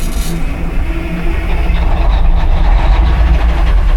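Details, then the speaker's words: 1960s military crane diesel with only 81 original hours, sitting its whole life, with a clicking engine solenoid and a shot of starting fluid: heavy uneven rumble as it cranks and nearly fires but never settles into running. "Might just need to bypass that solenoid. Oh, there we go. >> She's cranking."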